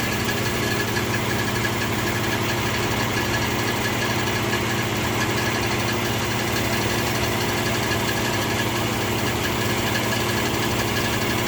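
A steady idle carries a light, fast ticking of about four a second riding on the engine hum; the source of the tick is unclear.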